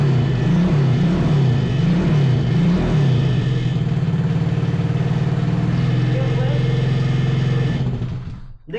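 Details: 125cc drift trike single-cylinder after fixing a no-spark fault from loose grounds and messy wiring: catches and runs with a steady, even thump about three beats a second, revs a little, then cuts off; running normally.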